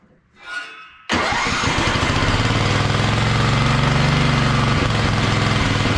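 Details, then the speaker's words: Wheel Horse mud mower with Tecumseh engine, Mikuni-style slide carb, governor arm removed, needle clip at richest position: engine catches first try and settles into a strong, even run with no misses; now running good. "so now that she's running good I'm gonna go take it for a test since we've got kind of a decent day"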